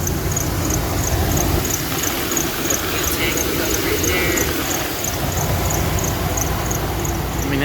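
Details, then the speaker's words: 2000 Dodge Ram Van 3500 at idle, after rough-idle fix (hidden 15A O2 sensor fuse replaced): thin high-pitched chirp about three times a second over steady idle, typical Dodge squeak, minor; exhaust leak also noted. "it's got your typical mopar squeak a couple couple dodges do that but it ain't that bad"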